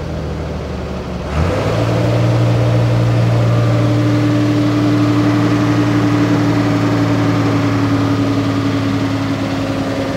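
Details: Trailer truck diesel after a new engine rebuild: fires up and settles into an even, steady clatter of constant pitch, no puffing or missing; runs normally.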